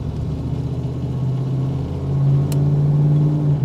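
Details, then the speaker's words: 1972 Chevy Camaro V8 revving: deep smooth rumble climbing evenly with throttle, no popping or rasp; healthy exhaust note, though a separate rattle (likely bracket on exhaust) and vibration, possibly motor mount, noted. "sounds great zust tone is awesome"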